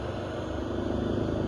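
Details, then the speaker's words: 12 V to 110 V power inverter running normally after the fault was fixed with an adapted replacement part: steady, even low hum from the inverter and its cooling fan, no rattle or buzz, the earlier excessive noise gone. "já está funcionando aí perfeitamente sem barulhos né"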